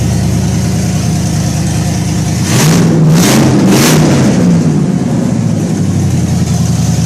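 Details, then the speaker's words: Pontiac Firebird Bandit II, LS1 swapped, with an RV cam: deep, choppy, loping idle, a quick rev and back to idle; lopey idle from an aggressive camshaft. "well why don't you fire it up for us let's let's hear what that RV camp Sands like"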